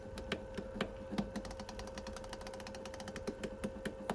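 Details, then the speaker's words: Miele Novotronic W1613 washing machine, about 17–18 years old, with an F63 error, after reassembling the water diverter valve, Cottons program at power-on: a low motor hum under quick, uneven clicks that then settle as the diverter motor finds its position normally. "Power's on, Cottons close the door, and now it's doing it again. So what's it doing? Where's it looking for?"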